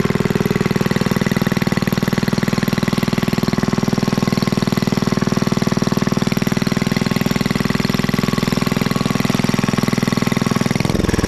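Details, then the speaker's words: Rare Clinton 1100 series single-cylinder four-stroke antique engine, revived after freeing a stuck exhaust valve, now fitted with an original oil bath air cleaner, new exhaust and fabricated governor linkage; even beat of about four firings a second, sounds great, normal running. "Let you guys listen to this thing. It really sounds great."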